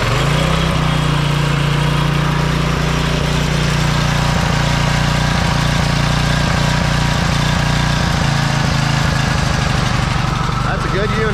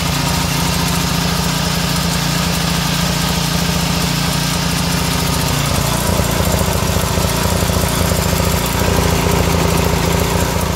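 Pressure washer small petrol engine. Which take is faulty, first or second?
second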